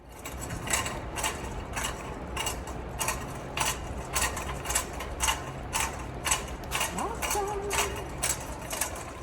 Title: One of those shopping carts. Clunk Clunk Clunk. Sounds like working on the railroad.